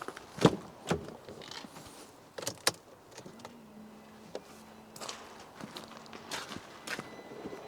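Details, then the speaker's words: Flood-damaged Mercedes during engine rebuild: ignition on after reconnecting in-tank fuel pump and level sensor, short steady low buzz of pump priming for a second between clicks, fuel gurgling up to the filter; normal fuel pump priming before first start attempt. "right so I can just hear that pumping the fuel away now coming up to the filter here nice and gurgly"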